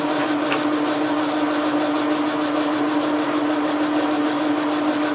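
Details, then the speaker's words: Logan lathe turning a telescope declination shaft at high speed with fast power feed; steady hum with faint buzzy rattle, leadscrew chattering in its unbushed plain cast-iron housing. "leadscrew is chattering a little bit in the housing you know there's no push a there's no bearing in the housing it's just a piece of cast iron with a hole in it that's what's going on there"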